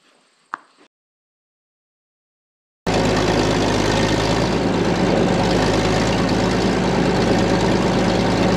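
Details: Late-1940s/early-1950s Caterpillar D6 cable dozer, a barn find revived after years sitting, idlers rolling and greased: after a short silence the diesel catches and settles into a steady, even low chug with no knocks. Normal idle.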